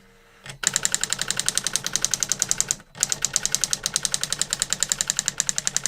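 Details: New-in-box circa-1985 Epson DX-10 printer printing a Windows 2000 generic text-only test page via printer port: rapid crisp clacks about eight a second, brief pause for line change, then even again; worked perfectly, normal printing.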